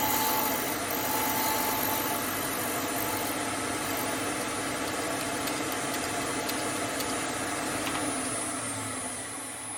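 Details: Hope Woodturning MK2 threading jig, router at 3000 rpm near the final click cutting a thread in beech: steady high motor whine with even cutting hiss, no chatter or stumbling; normal router thread cutting.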